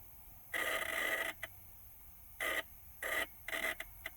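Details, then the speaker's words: Vehicle switch being wiggled while its wiring harness is still connected: irregular bursts of harsh electrical crackle with a thin buzz. Suspected loose or spread pin in the connector or a broken wire; the turn-signal relay is also questioned. "you hear that crackling noise like that's electric i don't know if that's the sweat the uh relay for the turn signals"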